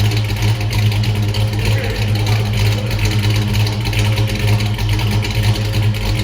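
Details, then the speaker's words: 1979 Mustang Pace Car V8, first startup, new polished Flowmaster exhaust: deep burble with uneven loping beat about once a second, rough idle; owner says carburetor is too big, planning a Holley Sniper kit. "As you can see, my carburetor's too big, but I'm taking a Holly Sniper kit over the winter."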